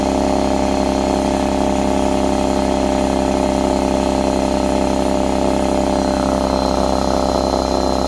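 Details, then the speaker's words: Husky C303H air compressor after repair for not building pressure (valve plate or piston ring suspected), steady motor drone with regular pump beat near four per second, running hot; builds pressure normally. "yes we got pressure this time we want to listen for any leaks get your ear next to it wow this is hot seems like it's working well"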